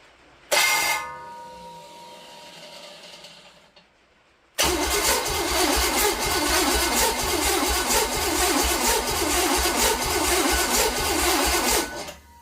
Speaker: go yeah I could feel the compression stroke you could hear it with that gallop being that the cylinders uh the plugs out this is the dead cylinder as you hear it cranking you can hear that gallop that's when it's pushing my finger out